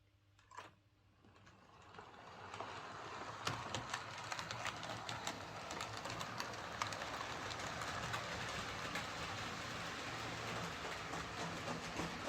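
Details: Bachmann Webb Coal Tank 0-6-2 model locomotive pulling three coaches: small motor whir with fairly regular clicks and knocks on curves. Traction fine, no stalling at points or derailing. Deformed wheel flange striking track, less in reverse.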